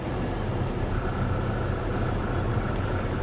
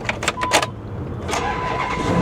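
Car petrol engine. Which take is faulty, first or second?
first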